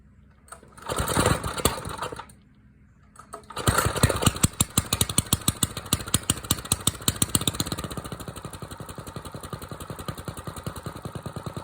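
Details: Small single-cylinder engine, cold start after sitting 2-3 hours in mild weather, on choke with a little throttle; it catches after a short crank, then settles into a quick, even putter with steady firing. This is a normal cold start.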